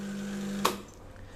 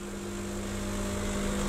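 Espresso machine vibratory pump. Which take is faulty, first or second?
second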